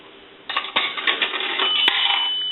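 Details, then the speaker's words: Automatic Electric three-slot payphone after repair and conversion, coin validator checked: a nickel rattles in, then one bright bell strike rings clear and even, the normal single-ring signal. "we want to take a nickel and that's going to ring the bell once a dime will ring the bell twice"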